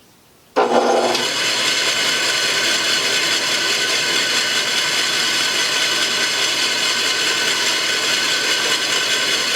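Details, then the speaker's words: Restored 1950s Atlas 10-inch band saw model 9360 after a tune-up and a new motor dust chute: steady, even whir with a constant hiss and no knocks or rubbing; runs smooth. "nice and smooth"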